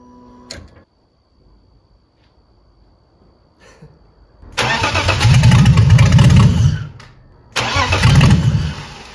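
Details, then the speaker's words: BMW E30 330i first start attempt after fixing reversed fuel pump wiring: two strong cranking bursts, about three turns a second with a firm low churn, fuel now reaching the engine; normal cranking. "j'avais inversé donc là écoutez le bruit ça a déjà plus rien à voir"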